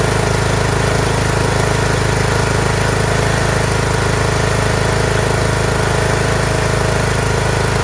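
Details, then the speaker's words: Craftsman T1600 lawn tractor, Briggs 19 hp engine, after cylinder head gasket replacement, oil smelling slightly of gas: fuel solenoid heard working, steady even thump at a settled idle with no misses or knocks; runs smoothly. "I hear the fuel solenoid working do sound very good"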